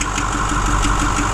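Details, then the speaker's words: Ford 6.4 Powerstroke diesel at idle with a knock complaint: steady idle with a dull, regular knock about six times a second. Relative compression and injector balance rates passed in Ford IDS, not a rocker arm; early bearing failure. "This truck is in the beginning stages of a bearing failing on it."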